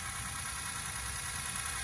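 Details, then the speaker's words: Freshly rebuilt Ford 6.0 Powerstroke diesel V8, bored 10 over with balanced rotating assembly, first cold start: fast hard injector chatter lasting fairly long, normal for a cold start and sounding good. "kind of he you can tell by the injector chatter it's pretty long it sounds good though doesn't it"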